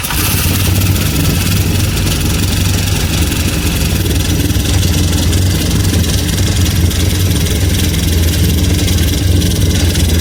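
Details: Akari 2-stroke engine (brush cutter/sprayer type) after a no-start repair: loud, even buzzing idle with a steady low throb and no misses or surges; running smoothly.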